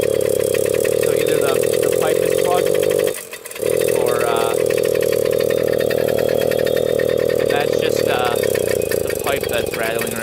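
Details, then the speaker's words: Old Suzuki Jr 50 single-gear two-stroke, as bought: buzzy note sags and nearly dies around three seconds, then recovers unevenly; bogging, air screw adjustment no help, owner suspects clogged pipe or dirty carburetor. "I played with the fuel mixture air screw that doesn't make a difference so I think it's the pipe that's clogged or the carburetor that's a really dirty"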